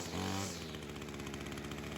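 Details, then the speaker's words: Ryobi two-stroke weed eater after fixing a head-gasket air leak: a short blip, then a crisp, steady idle with even firing and no hunting, low-speed carb screw leaned slightly, head not spinning; normal idle. "Get that idle where we want it. So I must be liking this idle right here."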